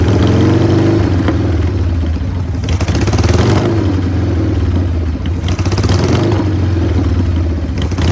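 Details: 1990 Harley-Davidson Sportster 883 restoration project: uneven, lumpy loping idle with stumbles; runs rough; owner suspects intake leak, as one plug read lean and one rich.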